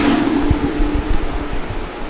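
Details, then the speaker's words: Mitsubishi Outlander PHEV in 36°C heat, aircon off: steady whooshing rumble with faint hum fading after the first second from the battery cooling fan cooling the pack; normal battery cooling fan running. "so this is only the battery cooling. I've got no aircon on, nothing. That's the battery cooling fan."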